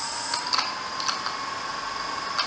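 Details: Bayangtoys X21 quadcopter brushless motor that began making odd noises, with resistance felt when turning the prop; thin whine with a gritty edge and clicks while spinning, a dragging motor that was then replaced.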